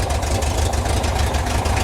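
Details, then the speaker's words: 1972 VW Bus air-cooled flat-four, baseline start before distributor timing or plug changes, owner suspects dieseling issue: fires right up into a deep, even idle, steady low thrum, no ticks or stumbles; healthy engine. "fires right up it's a it's a healthy sounding engine"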